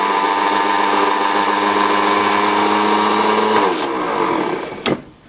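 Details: 1981 VW diesel pickup with a four-month-old Napa starter that intermittently just winds: slow, laboured cranking whir that never catches, then cuts out. A new Duralast starter does the same. Cause unknown.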